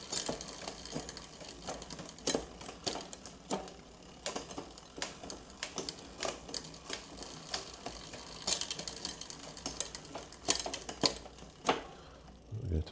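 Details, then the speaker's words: 1989 Cannondale Red Shred aluminium mountain bike on a stand with a friction front shifter: light rhythmic ticking and scraping repeating as the cranks turn; chain rubbing on the front derailleur cage. "That noise you can hear now is the front really rubbing on the cage cuz that's a friction"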